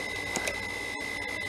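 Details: Original Xbox DVD drive after repair, spinning a disc quietly with a steady high whir; before, it was very loud because a pried, bent piece inside was straightened.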